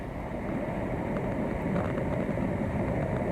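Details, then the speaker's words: Underwater leak-detection listening on a pool with a structural crack in the shell, verifying the leak: steady even rushing hiss with no rhythm, constant throughout; typical leak sound, which varies with mic depth in the water column. "That's what a typical leak sounds like. Again, deeper or higher in the water column is going to make a difference."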